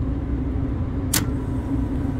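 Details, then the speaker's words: Walk-in freezer three-phase compressor, condenser fan motor back on, amp clamp fitted, at night: a steady low hum with an even mid-pitch drone and no knocking. Normal running after restart; a short cycle from low charge is suspected. "Started. It's running. That's a plus."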